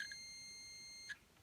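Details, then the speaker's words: Multimeter set to continuity mode gives short, high, clean beeps each time the probes touch, silence between, while checking which lead of a cord with an inline switch is hot. "can you hear that beeping? So that you don't have to look at the gauge to see if you're getting continuity."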